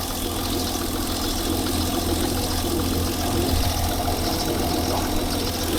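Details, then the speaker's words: 2003 Hyundai Sonata after an uncloned PCM replacement: rough, uneven idle with occasional stumbling beats under a faint steady hiss; vacuum leak heard but not located, misfiring badly, engine light on. "I can't see it, but I can hear it. This thing's not running good. She's misfiring pretty good."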